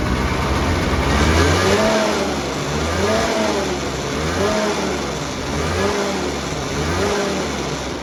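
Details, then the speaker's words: 2008 Ski-Doo Rev two-stroke snowmobile sold as blown up: blipped about every second, rising cleanly and dropping to steady idle, no knocking or bogging; not blown up, normal running. "all right so since this is way rather uneventful that this thing actually just fired up and probably was one of the best deals I've ever gotten fire right up it is in fact not blown up like the ad stated"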